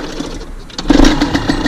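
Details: Carbureted motorcycle after the idle was adjusted by hand to a good idle speed during carburetor tuning; engine settles into a quick, even putter with no misses or hunting, idle properly set and healthy.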